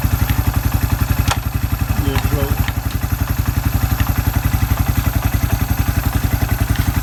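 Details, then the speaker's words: Suzuki Quad Runner 250 under restoration, exhaust refitted and new TC crank oil seal, running through reverse and the ranges: steady, even low thump at a smooth idle, no grinding or clunking; transmission working normally. "Transmissions running through all its cogs properly"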